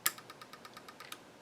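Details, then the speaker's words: Epson HX-20 printer, feed button pressed, no lube yet, gears gunked: about nine light even ticks a second then stops, clicks but doesn't turn; printer mechanism not feeding, lithium grease planned to loosen it. "it's definitely not turning I haven't put any Lube on it or anything"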